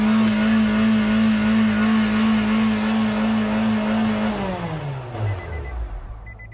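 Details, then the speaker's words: Car in shop, customer complaint that it takes off on its own: engine races to a high steady speed while on the brake; accelerator held down by the floor mat on the gas pedal. "ought their car in stating that it takes off on its own and the accelerator won't slow down okay boys we got a new one for you this morning come in get the S says you far the car up sounds like it's going to go 100 miles an hour"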